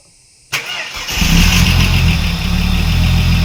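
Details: Ford AU SOHC Intech turbo, first start after rebuild: brief crank, then catches and settles into a smooth, even idle, slightly high (should be nearer 500), likely from missing intercooler piping; normal healthy idle.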